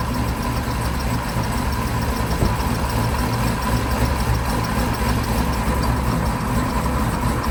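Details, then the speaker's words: Built 800 hp Cadillac CTS-V after drag racing: under light load there is a steady engine drone with a faint, irregular squeak and clicking/tapping. The high-pressure fuel pump was replaced as suspected, but the noise persists and the cause is unconfirmed. "All right, now that you guys have heard the little squeaking and the clicking, clacking, tapping sound when you have a little bit of load on it, we replaced the high pressure fuel pump, which is what everybody thought it was based on the symptoms we were having."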